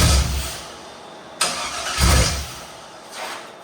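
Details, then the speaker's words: Chevy 5.3L LS V8 swapped into a YJ/CJ Jeep: the starter grinds in short uneven bursts but the engine never catches; it is a crank-no-start from the VATS anti-theft lockout, and the wrong computer is suspected. "All right, in theory, the VATS wasn't off."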